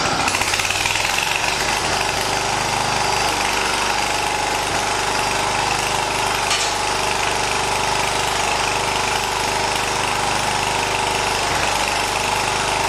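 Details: 1980 John Deere 212 lawn tractor's small single-cylinder engine, after replacing the leaking crank seal, on a cold day: it holds a fairly steady, busy beat with no knocks or misses, runs fine, and no oil leak is seen.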